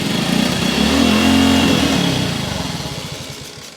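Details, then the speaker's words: 1974 Kawasaki KS125 single revived after decades sitting, kick-started on choke from auxiliary fuel tank with carb cleaner squirted in: catches, revs unevenly for a couple of seconds, then beat slows and fades; won't keep running, owner suspects carburetor. "It's running. Not staying running. Could be a carb."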